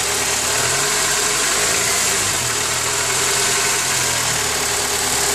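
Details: Honda K20A6 four-cylinder at idle, uneven light knocking over a hissy top end; strange noise that gets quieter when warmed up, cause not confirmed.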